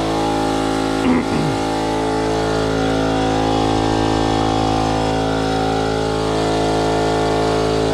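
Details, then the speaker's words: Campbell Hausfeld HL431500 air compressor after top-end rebuild (new piston, rings, connecting rod, valve plate, air filter), previously building only about 20 PSI: loud, steady hum with an even pulse near three a second and no knocking; now builds pressure past 25 PSI, running normally. "alright guys so as you can see the compressors running pretty friggin loud but problem-solve is now getting past the 25"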